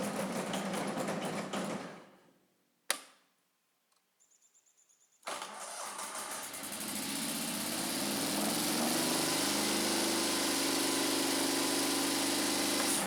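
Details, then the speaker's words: Scag Turf Tiger 61 mower, Kohler CH25S engine: steady engine note chokes off and dies within about two seconds when the blades/PTO engage, then restarts; belts and pulleys checked fine; caused by failing ignition coil. "okay so you can see that when we engage the blades or the PTO the tractor shuts off"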